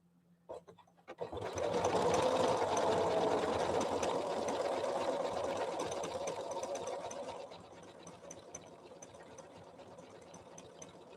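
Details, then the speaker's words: Janome Memory Craft 7700 QCP sewing machine after servicing, over a background heater hum: runs fast with a soft steady whir, then slows to a light stitching rhythm. Its owner had complained it sounded clunky; it now runs silky smooth. "linda was concerned about how clunky the machine sounded listen to it run now it's very very silky smooth isn't it listen"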